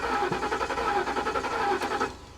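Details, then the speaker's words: Flood-damaged 2021 Kia K5 Turbo salvage car, fuel gauge showing fuel: starter spins engine quickly and evenly, about eight turns a second, but never catches; owner suspects fuel problem, possibly spark. "you can hear like it's it's it's it's trying i would almost almost bet we're gonna be looking at a fuel problem some type of a c g failure"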